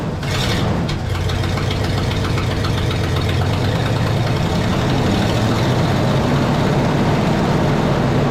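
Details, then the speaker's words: 1972 Pontiac LeMans V8 that sat for years, idling with the fuel hose kinked off: loud, uneven idle with an irregular, stumbling beat and a raspy chuff; rough idle misfire, not firing on all eight. "that's looking pretty good now definitely not idling on all eight but it is idling or at least it doesn't sound that way cuz of the exhaust"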